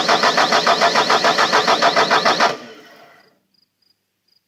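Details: Bobcat T300 turbo diesel: the starter cranks at a steady three to four compressions per second, never catches or fires, then stops dead. Cranks but won't start.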